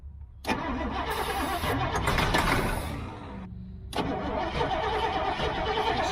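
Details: Old GMC gasoline bucket truck, V8, cranked from the cab while feathering the throttle, with fuel visible in the fuel filter: long, steady starter churning about four beats a second, a pause, then more cranking, but it never catches.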